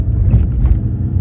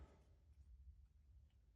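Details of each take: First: Audi on a road drive after front suspension clunk repair, drop links suspected as the cause; low, even road rumble at steady speed with no knocks or clunks from the front end; quiet front suspension. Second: Audi front suspension ball joint with a long-split boot, no grease and rusted out, worked by hand: sharp, gritty crunches and clicks, confirmed as the cause of the front-end clunk over bumps.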